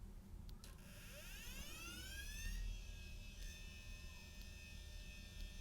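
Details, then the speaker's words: Samsung hard drive attached to an Amiga 1200. A rising whine climbs for several seconds as the platters spin up, with uneven scratchy tones, an abnormal-sounding spin-up. No boot record was found on the drive. "that doesn't sound good oh nope there's nothing on there at least not a boot record"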